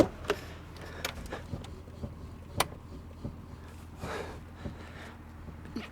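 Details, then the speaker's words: Steering wheel rocked after tightening a worn steering rack (knocks on rough dirt roads, play at centre); only faint soft clicks and cabin hum, no knock or play at the wheel. "на руле у нас ничего не стучит не люфтит в общем вот такая вот небольшая подтяжка"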